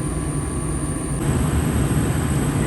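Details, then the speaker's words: Gas furnace with new Fasco draft induction blower (119256-00 / ICP 1014341 JA) fitted; steady low rumble steps up as the main blower comes on, then runs quietly and evenly: normal blower start-up. "the main blower ticking on relatively very quiet operation now this is great"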